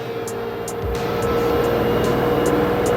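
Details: LG 8 kg washer / 5 kg dryer 2-in-1 inverter direct-drive front loader, Q test spin ramp-up toward 1400 rpm: a smooth steady hum with a clear tone and no knocking or grinding; motor has no issue.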